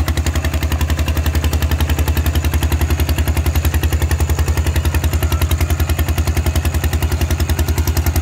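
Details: Thai tractor with iron wheels ploughing a rice paddy, fitted with a trial replacement exhaust pipe; sharp, evenly spaced exhaust cracks about three and a half a second pulling the plough: exhaust too loud.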